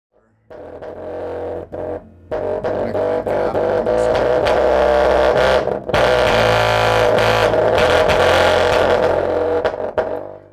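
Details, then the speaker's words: Rockford Fosgate P3 car subwoofer: deep bass notes with a harsh buzzing rattle on every hit, a common P3 fault fixed with glue. "Very powerful sub. With that noise, yeah, that's a big no."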